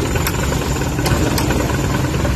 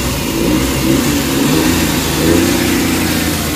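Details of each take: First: Suzuki K6A petrol engine idling with AC and fan on: low, uneven shaking rumble and heavy vibration as the AC loads it; IACV idle-up issue, later fixed. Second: Suzuki K6A engine after IACV idle-up fix: revs climb smoothly and settle with aircon on, no vibration or hunting, previously shook at idle with AC on; healthy rev with AC load.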